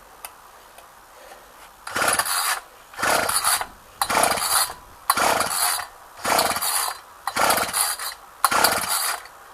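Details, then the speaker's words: Ryobi string trimmer, unrun two weeks, cold day about 8-9 degrees, primed ten times: seven pull-start rasps about a second apart, each dying with no catch; cranks but won't run, later fixed by carb adjustment. "Starter don't sound too healthy. Try no choke. Oh. Huh, she don't want to run."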